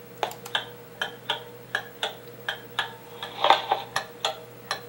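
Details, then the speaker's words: Pendulum clock ticking, amplified by a sensor clip on the winding arbor: the ticks come in uneven pairs, short gap then long, about 80 a minute, instead of equal spacing. The clock is out of beat. "and we can hear the Amplified beat now remember what we're looking for is the time between ticks is equal giving a steady even B"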